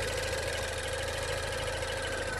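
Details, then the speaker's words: 2016 Range Rover Evoque at idle during pre-purchase inspection: light, even clicking over the engine hum; cause unclear, inspector unsure whether normal. "i can hear something clicking it doesn't sound scary but i can't say for sure that that it's normal"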